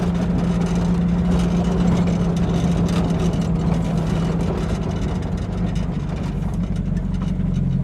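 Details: 1950 Buick Straight Eight idling rough with a lumpy, uneven, misfire-like beat; running better after timing bumped back, owner suspects bad plugs and wires (last done about 5 years ago).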